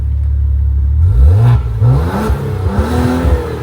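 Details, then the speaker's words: Wrecked twin-turbo Maserati with damaged intercooler and bent steering parts, in sport mode: steady idle then quick clean blips rising and falling smoothly with no misfire, rattle or hesitation; normal revving. "Yeah, this thing is running mint. Let's listen to it."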